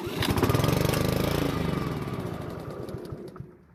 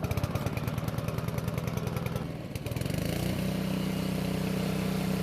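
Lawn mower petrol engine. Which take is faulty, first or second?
first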